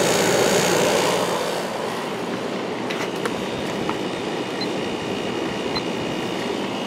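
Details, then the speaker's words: 1994 White Westinghouse 5,200 BTU air conditioner with Goldstar compressor, drawing about 3.9 A on low fan: steady loud rushing hum and mechanical drone after sitting unused, quietening after a few minutes; loud compressor after sitting. "3.9 amps and the compressor did get a little loud now you can kind of hear how it sounds after it's been sitting for a while but that will go away"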